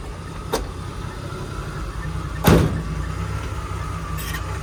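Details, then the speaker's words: 1981 Jeep CJ-7 Laredo, 258 inline-six, 4-speed manual, after tune-up and electrical fixes: fires right up to a steady, smooth six-cylinder idle with a couple of door knocks; runs fine. "Let's fire it up. Fires right up, no problems. Great sound."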